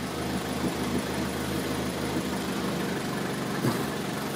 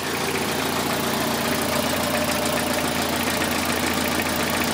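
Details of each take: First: 2003 Toyota Corolla with intermittent P0301 misfire and power loss, after swapping coil and spark plug from cylinder 1 to 3: uneven idle with dull irregular thumps about twice a second, misfire stays on cylinder 1. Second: 2003 Toyota Corolla after fixing an intermittent P0301 cylinder 1 misfire traced to a bad injector: petrol four-cylinder idles smoothly with an even steady beat, no stumble; misfire counts all zero.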